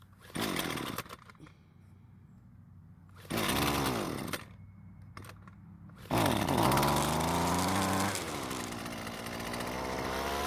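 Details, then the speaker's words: Husqvarna string trimmer: starts easily and revs briefly, then sags and dies, repeating each time; it starves for fuel once running. A restricted cheap aftermarket fuel filter is a suspected cause, and the carb is suspect. "as you just heard it really didn't have an issue starting but once running it soon starves for fuel and then stops"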